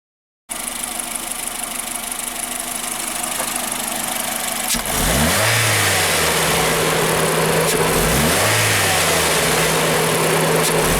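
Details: Honda Fit with L15A petrol engine: idles, then stumbles and runs rough through two throttle blips, misfiring when the gas is pressed.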